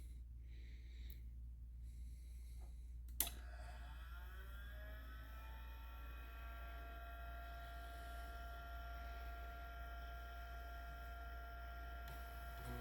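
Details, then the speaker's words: IBM PCjr floppy disk drive after cleaning old grease and applying fresh white lithium grease, on power cycle: a click then smooth steady motor hum and even whirr, no scraping or stalling; normal drive operation after repair. "right all right okay well that sounds a lot better let's get it back um yeah that sounded way way better"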